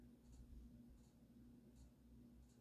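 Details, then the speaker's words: Vintage Emerson 1895 Series 52" four-speed ceiling fan on low speed: faint motor hum with a soft tick about every three-quarters of a second; suspected loose canopy that could not be fully tightened, not confirmed. "And I think that noise is the canopy. Yeah, that was uh I think that was the root cause of most of the motor noise before that canopy."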